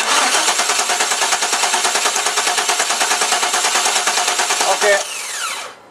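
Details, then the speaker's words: 1998 Chevrolet Tahoe 350 no-spark no-start, first new cheap ignition control module installed: even starter cranking about three pulses a second for five seconds, never catches; crank no start from defective new ignition module. "this one here is going to be the first one that we installed and we did install it into the vehicle hoping it would work but it did not so go ahead and try to start"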